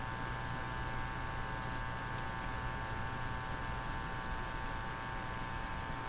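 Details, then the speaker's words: Hallicrafters TW2000 communications receiver: steady low hum with a buzzy edge, unchanging throughout, while measuring about 95 V DC on the B supply; mains hum in the audio. "Here we go. There's the Hummer."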